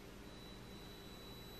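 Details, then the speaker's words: Nitecore LR30 flashlight, which had stopped working, now emits a steady piercing high tone near 4 kHz from its DC-DC converter coil, likely from PWM changes per mode; coil to be replaced. "the only parts it can do such a noise is of course the coil the inductive coil of the DC to DC converter"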